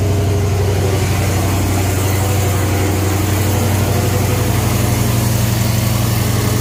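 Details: Dodge Charger Scat Pack 392/5.7 on its first start after a Fore fuel system install and reinstalled cold air intake. A deep, steady V8 idle with an even low rumble and no misfires or stumbles shows the engine caught and runs smoothly.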